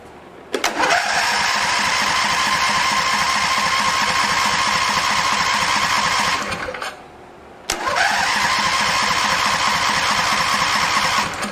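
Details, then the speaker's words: Husqvarna 2246LS V-twin mower, mouse-damaged wiring: two long cranking spells with steady starter whine and even chugging, engine never catches, fuel starvation; later runs with no knocking. "All right, let's see if it's just a fuel issue. Okay, so we got a fuel issue."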